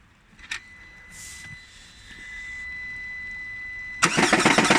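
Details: Lada Granta Drive Active at 20,000 km, cranking then starting: harsh, rapid rattling knock about four per second. The flywheel came loose and was damaged, also wrecking the clutch, tearing off the timing belt tensioner roller and stretching the timing belt.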